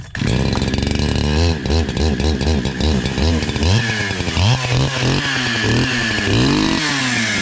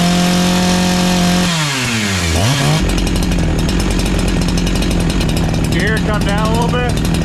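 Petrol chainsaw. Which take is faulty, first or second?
second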